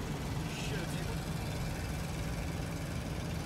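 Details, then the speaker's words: Van driving at highway speed: a loud, steady low droning rumble from an exhaust leak, not yet repaired. "Probably can't hear me over that sound. Well, that sounds the exhaust leak, which we've got to fix next week."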